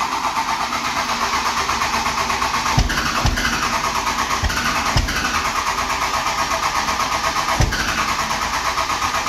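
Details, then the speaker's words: 12-valve Cummins dually after fuel pump replacement: steady starter grind with occasional firing pops and some smoke, but it won't run on its own. Fuel pressure was at zero on a quarter tank, hand-primed. Starter being overworked. Cranking without starting. "it's still at zero you'll probably lose full pressure because once you turn that key on it and you're sucking that up"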